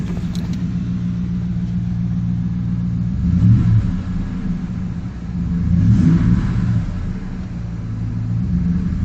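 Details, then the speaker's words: Ford F-150 cold start, exhaust with miter-cut tips: deep, even rumble swelling and settling with light throttle, no drone or rattle; stock-type muffler sounds healthy for daily driving. "Sounds good to me. I mean, it's no performance or racing muffler, but for daily driving, it's just right. No drone and uh it's not like annoying rattling in your ear going down the highway."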